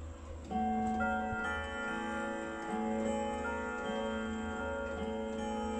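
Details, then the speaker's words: German Hermle three-spring Westminster chime clock with 85 cm pendulum, after movement overhaul: clear bell-like Westminster melody, 10 then 13 notes, evenly spaced over a steady tick; chime train working, normal chime and ticking. "Zece note, 13 note. Draga melodie, Westminster."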